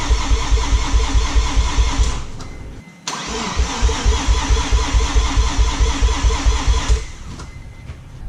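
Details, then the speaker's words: Mazda RX-7 FD rotary cranks steadily at about two beats a second, pauses, tries again, never fires. Owner blew a seal turning it by hand, fears engine damage, and will change all four plugs. "right well looks like I'm going to stay working on this I'm gonna change these plugs see if I can get the fire up"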